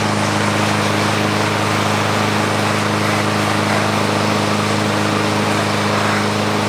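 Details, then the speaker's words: Free, about one-year-old 2023 Craftsman M110 140cc 21-inch mower running while being pressure-washed. Steady, even engine drone at constant speed with no misses, surging or hunting; runs healthy. "I like to clean clean them while they're running so that's sometimes you know water gets in the exhaust Port the pressure of the motor kicking out the exhaust will keep the water out"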